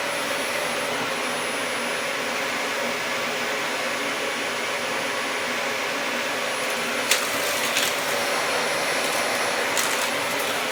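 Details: Dyson DC40 upright vacuum, salvaged from a skip after sitting outside, first power-up: smooth, even high rushing whoosh holding steady, brief handling clicks near the end; brush bar and on/off switch work, running healthy.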